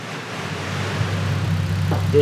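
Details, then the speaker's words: Ford F6 turbo six on a dyno, warming up after upgrades including a gate, transmission cooler and fixed timing chain: deep, steady rumble building gently and evenly, no knocks or rattles; healthy running. "hear it now cuz this thing should sound like a totally different animal"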